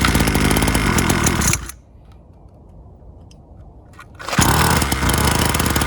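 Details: Syx Moto 50cc two-stroke dirt bike started on choke before idle screw adjustment: buzzes hard, drops to a rough low burble for a couple of seconds, then picks back up; running rich on choke.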